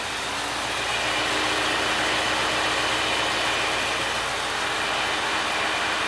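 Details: Original 400 V8 from a 1967 Oldsmobile 442, freshly rebuilt (new rod and main bearings, rings), running on an engine stand, warming until the radiator fan was needed; steady even hum, no knocks or ticks; good oil pressure, healthy.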